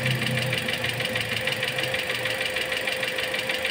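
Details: Toyota Altis with an empty coolant reservoir and cooling-system bubbles after AC compressor replacement: a sharp steady knock about three per second over the idle; the idle also drops and stumbles with AC on. Cause unconfirmed.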